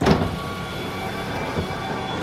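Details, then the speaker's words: 1980-1996 Ford Bronco/F-Series power window after the window motor repair and reassembling the door: a clunk at start and stop around a smooth, steady motor hum as the window goes all the way up, healthy. "Push it down. And there's the window. All the way up. That's all done."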